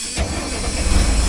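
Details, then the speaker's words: International DT466 diesel in an auction-bought crane truck, first start attempt: it fires almost instantly and settles into a strong, steady clatter without stumbling, a healthy start. "Oh. You just can't beat a DT466."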